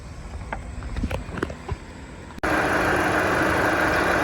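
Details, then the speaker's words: Engine idling steady and even after a 2011 Chevy Cruze water outlet (thermostat housing, temp sensor) replacement, coolant refilled and bled; no knocks or misfire, no leaks, check engine light gone. "everything is running good. There's no leaks."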